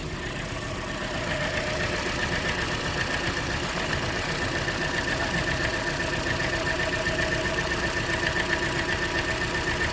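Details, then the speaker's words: Cold engine at rough idle with an uneven stumble about four times a second, tied to a cylinder number three misfire. Ignition coils are being checked to find the cause; a bad coil is suspected. "I think we just need to focus on that number three cylinder misfire"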